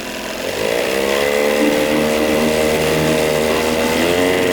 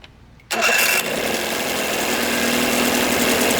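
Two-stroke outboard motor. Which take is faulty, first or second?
first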